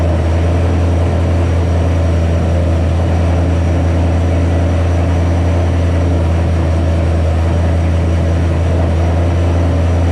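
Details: 2007 Ford Shelby GT500 (supercharged) on first start after L&M NSR cam install with Venomous Tuning tune: steady unbroken drone at constant speed, no dip or hunt; idling well above normal, later lowered by a tune revision.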